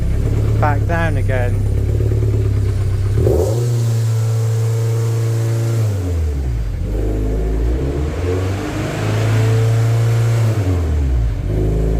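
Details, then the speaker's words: Warm MGF race car on live data: revs climb on their own, hang, then sink to idle and repeat. No fault codes, though multiple misfire detected keeps showing and the engine light has flashed since a conversion. Idle surge. "foreign [Music] so yeah that's what it was doing there isn't really any fault codes that suggests anything untoward"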